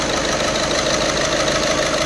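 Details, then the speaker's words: VW Vento idling with check engine light and blinking heater light: uneven ticking knock and rough, missing beat, not smooth; misfire traced to faulty fuel injector, replaced. "और गाड़ी में ना थोड़ा missing है मतलब एकदम जो smooth रहना चाहिए नौकरी"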